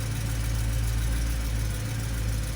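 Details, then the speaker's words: 2008 BMW E92 M3, stock S65 V8, cold start: deep even fast idle with steady low rumble and metallic chunk that is normal, no bearing knock; normal cold idle before idle drops. "this metallic chunk metallic noise is absolutely normal it does not have any raw bearings strange noise [Music] this is a perfectly healthy s65 engine noise during the cold"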